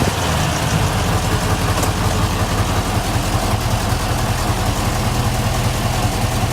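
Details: 1968 Rover P5B Coupe at first start after its wiring harness was replaced: deep, even V8 idle with a steady low rumble and no misses, knocks or ticks. Rev counter working, oil pressure normal, alternator charging; a healthy engine.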